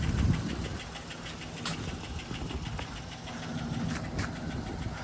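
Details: Saablazer SS truck revived after sitting a year, flat tires and dead battery: rough idle with a loose uneven clack about four a second; cause not identified, engine to be pulled for a "six leaker" build.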